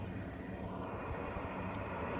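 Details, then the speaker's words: Rooftop radon exhaust fan after its stack was lengthened: a steady, even rush of air with only a soft low drone and no pulsing, so the former airplane-like noise is mostly gone and the fan runs quietly. "But what's really cool is, I don't know if you notice it by the video sound, but that airplane noise is pretty much gone."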